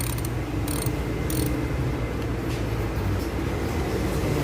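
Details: Honda Civic 12-volt auto relay in the fuse box: fast, nonstop chattering clicks as the relay buzzes on and off instead of holding in, a fuse box fault.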